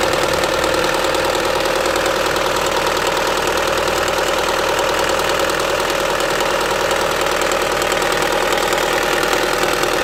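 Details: Opel Astra H 1.6 (Z16XEP) at idle: rough, rapid ticking-knocking patter about three beats a second from the rear area of the engine, with loss of power; cause unclear.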